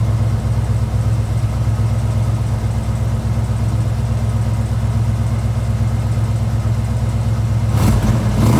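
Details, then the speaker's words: 1977 Ford Bronco Ranger, frame-off restored, 302 V8, 3-speed manual, about 41,260 original miles, sound deadener fitted; deep, steady V8 burble with even beat, no misses, knocks or ticks; normal idle. "So it's a really nice, quiet truck to drive in."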